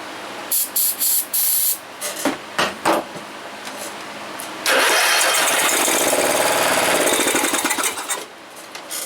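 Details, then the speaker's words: John Deere RX75 mower that did nothing at key turn: cranking clatter, catches and runs ragged and uneven about three seconds before dying; owner suspects broken crankshaft or connecting rod, unconfirmed. "it sounds like when it fires it's just it sounds like it's hidden at a rough spot again and it is that sounds like a broken crankshaft or something connecting rod"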